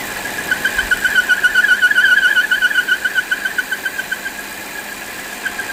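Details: Volvo XC60 at idle: chirpy squeal pulsing three to four times a second over a quiet idle; defective PCV valve found as the cause.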